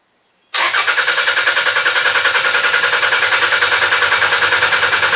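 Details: Demolition derby car engine, no knock sensor connected, spark confirmed: harsh, loud, choppy popping about three pulses a second with uneven beat and visible flame; not firing on all cylinders, owner suspects bad spark plugs.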